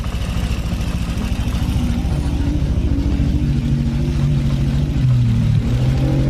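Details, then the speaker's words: Honda Vario Techno 125 injection scooter at idle after repair of the fuel pump pressure fault that caused rough idle: smooth, steady idle with a light, even tick about three times a second, normal injector noise. "Ya, untuk Vario 125, Vario 150, saya kira suara segini wajar, ya, normal untuk motor Vario injeksi."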